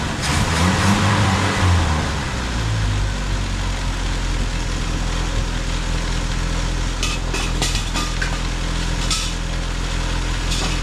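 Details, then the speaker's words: 1971 Triumph Spitfire MK III four-cylinder, first run after 14 years: catches and settles into a steady low idle with a fairly even beat, only a slight rattle; normal idle. "It's not even that. It's quiet engine. Not bad, huh"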